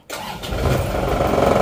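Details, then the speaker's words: Isuzu Panther Turbo diesel, after runaway caused by overheating-scored liners and blow-by, restarted with air intake restored: starter catches almost instantly, steady even idle, healthy start. "ini sudah normal posisi ini akan kita starter lagi"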